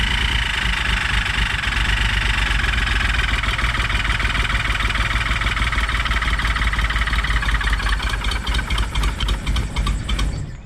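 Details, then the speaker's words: 1967 Triumph GT6 started cold without choke: steady high-pitched squeal over rough idle, changes with throttle; owner suspects carburetors, probably front carb, sucking air, cause not confirmed. "I don't know. That's odd. It sounds like it almost sounds like it's sucking air from somewhere."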